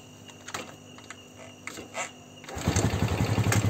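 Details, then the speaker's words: Motorcycle with a battery that drains easily and wouldn't run without it, started without the battery after the regulator/rectifier (kiprok) was swapped: a couple of clicks, then it catches instantly into a steady low putter, confirming the faulty kiprok. "langsung hidup, berarti sudah pasti kiprok."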